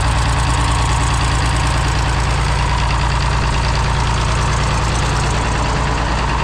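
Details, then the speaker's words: Galion crane with International D282 diesel, just fitted with a reassembled Roosa Master DBG injection pump, valves not yet adjusted; rough idle with rhythmic puffing wheeze in time with firing, owner thinks number 1 has a bad valve. "Number 1, I think, is the one that's got a bad valve. I hear it wheezing."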